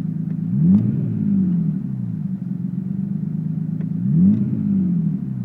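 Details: Skyline RB20DET loaded in second gear: revs climb twice but note turns ragged and stumbles around 5000 rpm; misfire under load, owner unsure whether ignition or fuel, idles at 800–1000 rpm.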